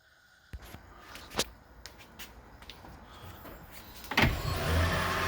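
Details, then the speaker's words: Toyota Prius after head gasket repair and timing reset, about 600 miles later: a few clicks, then the engine catches and settles into a steady, even idle with no tapping; healthy, no leaks. "yeah running nice and smooth there's the motor"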